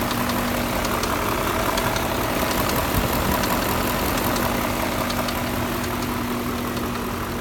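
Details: 2001 BMW E39 M5 V8 at 164,220 miles idling with a faint sharp tapping knock over the engine note; owner believes connecting rod knock.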